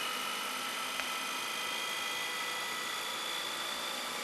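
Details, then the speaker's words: Lite-On DVD-VCR combo rewinding an old tape fast; thin, steady high whir holding pitch. Normal rewind whir. "And you can hear it racing. And then watch this. See, about 5 minutes or 2 minutes before it reaches the end, then it slows down. And that way it doesn't snap the tape."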